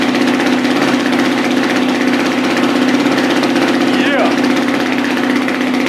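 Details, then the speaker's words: Freshly rebuilt dirt bike engine with higher compression, just started with no oil pressure yet, so very tight: even buzzing idle around four beats a second, low but steady, expected to rise on its own. "so the idle is going to start coming up on its own very soon there's no oil pressure so everything's very very tight so you want to give it a second you'll hear the idle come up high"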